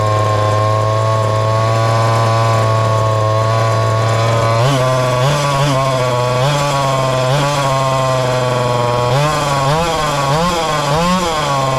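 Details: Ported little 2375 chainsaw with carb and ignition-timing mods, running methanol: high scream with repeated blips up and down and no rich four-stroking. Still lean with the carb tuned fully rich; the carb needs drilling out.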